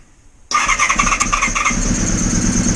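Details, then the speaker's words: Honda VFR400R after long storage, carbs just refitted: starter whirr then the engine fires and keeps running with a rising, uneven buzz; it catches but is not yet settled. "hey oh that was a lot better let's tickle it up a bit"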